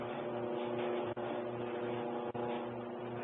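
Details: Kenmore Elite dryer made by Electrolux, running: steady loud rumbling drone with a constant hum from the drum, getting louder; no clear knock, cause unknown.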